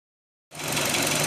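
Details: 2005 Hyundai Elantra just after the owner tightened the timing belt: engine catches and settles into a busy idle with a faint, fast tapping knock riding over it, more prominent than before; source of the knock unknown.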